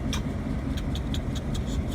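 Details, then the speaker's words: Delaware and Hudson diesel locomotive: deep rumble with sharp, irregular pops every fifth of a second or so, heard as misfiring. Faulty injectors are suspected. "That's the sound of a misfiring engine. I know that because I've heard that sound of that similar."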